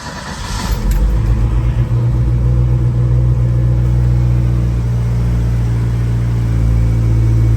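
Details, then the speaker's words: 1979 RS Turbo Fox body with 1986 SVO powertrain, cam swap and owner's own startup tune: engine catches, flares briefly, then settles into a smooth, even low rumble idling steadily on its own; healthy start and idle. "There it goes. And it'll just sit there and idle on its own. We even got the own. See, now it sounds like a V8."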